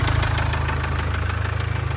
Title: Jaguar Land Rover Ingenieum Excessive Blowby Rod Knock #jlr #blownengine #spunbearing #ingenieum